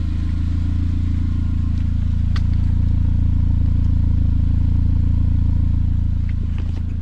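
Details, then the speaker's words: 200k-mile Saab 9-5 Aero, cracked center muffler cut out and straight piped, heard from front walking to rear; deep, even low rumble pulsing about four per second, no ticking or puffing; healthy straight-piped idle. "all right here we are from the front sounds great and as you walk towards the back you can hear the rumble"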